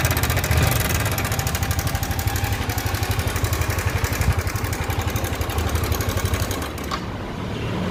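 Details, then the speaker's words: Yamaha R15 motorcycle engine; loud rhythmic thumping about four beats a second over a lumpy idle, heavy and low, an unusual internal noise of unknown origin. "Guys मेरे पास गाड़ी आई है आरव 5 और इसके engine की आवाज आपको सुनाते हैं कैसी है तो आप देखिए आवाज क्या है और जिंदगी में पहली बार मैंने ऐसी आवाज सुनी है गाड़ी की"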